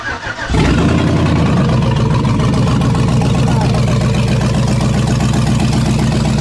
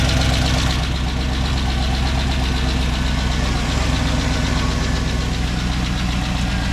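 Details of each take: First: Abandoned 2007 Chevy Tahoe with a rebuilt 5.3 V8 and BTR Truck Torque cam, first start on open headers with no exhaust: catches instantly and settles into a loud, even, lumpy idle with no misses or ticks; healthy. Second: 2007 Chevy Tahoe with a rebuilt 5.3 and BTR Truck Torque cam, first start and idle. The V8 lumps with a quick steady tick of about four per second, probably from the exhaust crossover, while residue burns off; exhaust leak tick.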